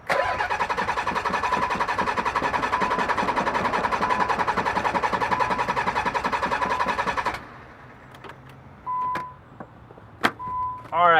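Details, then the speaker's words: Nissan 300ZX, cranking with throttle applied: steady starter cranking about two beats a second for seven seconds, never catches, fuel smell; no start, fixed by replacing the failing fuel pump. "so we're actually having problems with the z it doesn't want to turn on but let me just show you what's what's going on"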